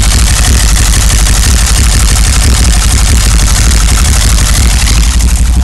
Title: 1990 BMW 525i misfire and rough run